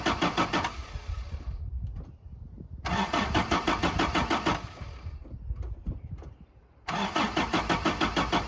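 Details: 1982 Toyota SR5 4x4 truck, previously cranked then cut off, emissions control computer box thought to be the cause, out of gear; several cranks catch quickly into smooth steady idle; normal start.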